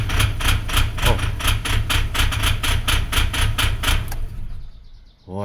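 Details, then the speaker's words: 2008 Mitsubishi Pajero diesel just after cold start, check engine light already on: lumpy running with sharp uneven knocks about four per second, sounds like diesel misfire; cause not confirmed. "the engine is doing something wild uh the check engine light was on and I did notice that it was on prior to me starting that's a different thing altogether but I do not like that that sounds like uh diesel misfire"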